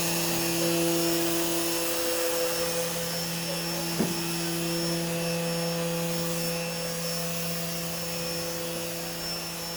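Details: CNC router running Mach3 after a 3-week noise problem was solved with an opto-isolated breakout board: even steady motor hum, constant low drone, one brief tap partway; runs smoothly, normal running.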